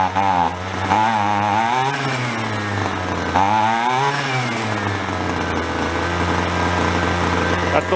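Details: Roadside free two-stroke weed trimmer, carburetor low and high mixture screws being adjusted: small buzzing engine surging up and down, hunting rather than holding a steady idle; running lean on the low-speed mixture.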